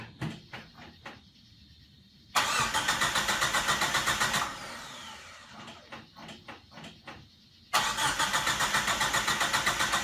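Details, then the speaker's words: Mitsubishi Mighty Max with swapped turbo 4G63 engine, first start attempt: two spells of even cranking at about three to four beats a second, never catches; owner suspects no fuel because the in-tank fuel pump can't be heard. "Unfortunately, it's not firing, and I believe it's not getting fuel because I can't hear the fuel pump at all."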